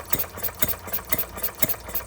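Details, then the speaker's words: Stirling Kits Retrol G16 model stationary gas engine on first start after being flooded with too much fuel, nothing yet from the fuel pump: light regular popping, strong beat about twice a second with softer ticks between; running normally. "It even sounds like a proper stationary engine. The old ones."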